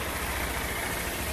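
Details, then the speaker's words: Honda CG160 Cargo after repair of a tec-tec-tec engine noise: idle holding steady with a smooth low drone and no top-end tapping; normal idle, quiet valvetrain. "beleza a lg a 0 moleque segurando lenta tudo bonitinho"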